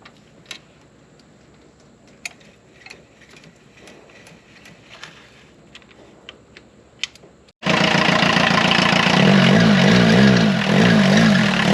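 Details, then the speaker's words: 1984 VW Rabbit Mk1 diesel, parked 26 years, running after revival: quiet ticks, then an even diesel clatter at idle with no smoke, and the battery light goes off as it starts charging. Normal running. "this thing is running awesome [Music] no smoke or anything"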